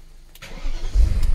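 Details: VW Eos convertible, just bought as Germany's cheapest, main fault its convertible roof; battery still on the charger: a very short crank, then the engine catches at once and settles into a strong low idle, a clean normal start.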